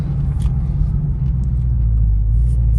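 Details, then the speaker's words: Dodge Charger Scat Pack Widebody after fixing active exhaust valve squeak, pulling away and cruising at low speed: steady low exhaust rumble with no squeak; previously squeaked at low speeds and startup, mostly in eco mode. "So good. I ain't heard not one squeak. I'm happy with that, man, because like I said, it was super annoying, especially when you were driving at low speeds and"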